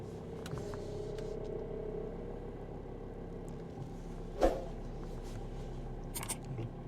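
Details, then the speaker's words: Power steering pump that used to hum loudly, after a steering additive and a drive; the engine idles quietly with the wheel held at full lock and no pump hum. "в таком случае нету вообще никакого гол а раньше вообще не выносимо гудела если вот упереть его до конца роль даже вот он пропал"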